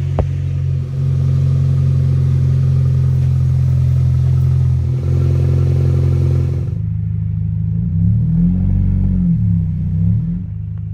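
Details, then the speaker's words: 2005 Scion xB exhaust leaking under the front seats and just before the muffler: loud raw low rumble with a buzzy, go-kart-like blat, heard from under the car. "but I've got a really bad exhaust leak under the passenger compartment so we're gonna go get that fixed today it's actually the second time this has happened in the last year but it's pretty obnoxious"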